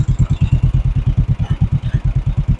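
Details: 1958 John Deere 420W two-cylinder tractor, just revived after over 35 years abandoned, about 30 psi oil pressure: steady, even low pop-pop at about nine beats a second, no misses or knocks; both cylinders firing, clean idle.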